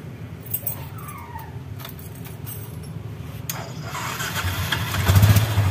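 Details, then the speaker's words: Yamaha Bison with misfiring, popping and black exhaust smoke, after plugging a failed, stuck-open carburetor membrane with flip-flop rubber: rough idle rising to revs with sharp irregular pops; throttle no longer lags but still backfires. "kalau digas sudah enggak telat cuma nembak nembaknya masih ya teman-teman"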